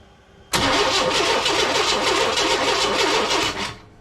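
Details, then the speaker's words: 1998 Chevy work truck, crank-no-start with no spark: about three seconds of steady starter churning with compression pulses, never catches; crank position sensor signal and power confirmed, ignition control module suspected, not confirmed. "So you can see that guy's blinking. So that means he's getting signal from the crank position sensor. Yeah. So since we're getting signal, we're getting power, everything else is looking good. It looks like it might actually be the ignition control module."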